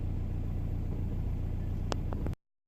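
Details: Audi A4 B6 1.9 TDI PD130 (AWX) with an intermittent misfire or judder at idle, later solved: diesel idles with a deep steady clatter, and no clear judder stands out in this stretch. Idle misfire.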